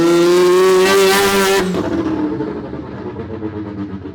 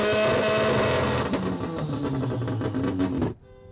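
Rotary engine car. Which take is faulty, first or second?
second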